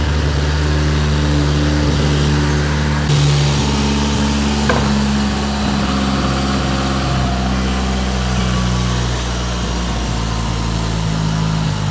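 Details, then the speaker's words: Mitsubishi Evo 8 with new motor, first start after fixing its only oil leak: engine settles into a steady even idle with a smooth low hum, no knocks or misses; nothing leaking, no smoke yet despite oil in the intake manifold. "is running very, very nice. Nothing leaking yet."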